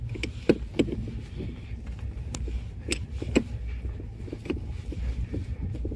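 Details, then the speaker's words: Renault Logan rear shock absorber knocking over bumps on rough road, felt as vibration through the nut; top mount nut tightened almost fully as usual after replacement causes it, fixed by slowly loosening the nut until knock fades. "Гайка затянута почти до упора. Если потрогать это пальцами, можно ощутить, как звук вибрирует сквозь них. То есть , обычно именно так затягивают амортизаторы при их замене. Именно так и появляется этот стук."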